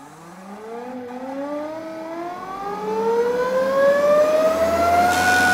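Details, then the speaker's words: NOVA Voyager 18-inch drill press, 1.75 hp belt-free DVR direct-drive motor, speed set from 50 to 5,500 rpm: clean whine climbing steadily in pitch from crawl to top speed, quiet, no knocks or grinding; normal motor speed ramp. "to 5,500 rpms or just about anywhere in between and all without belts or pulleys under power the one and three-quarter horsepower DVR motor is quiet and smooth running"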